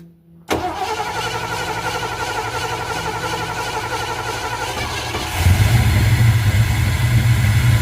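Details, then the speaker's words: 1979 Ford Ranchero on first start after a carburetor rebuild with different jets: it settles into an uneven, lumpy idle with a wavering beat, then gets louder and rougher. Still not running right, cause not pinned down. "It doesn't seem to be helping much different. I don't know, it's just still not running right."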